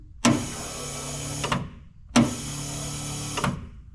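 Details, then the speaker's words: 1928 Ford Model A sedan, newly plumbed electric under-floor fuel pump feeding the carb on the stock four-cylinder: two short runs of steady whirring, each starting with a clunk and stopping cleanly. The pump had apparently stuck and was tapped with a screwdriver; it now works normally. "Got a fuel pump that works, so sweet."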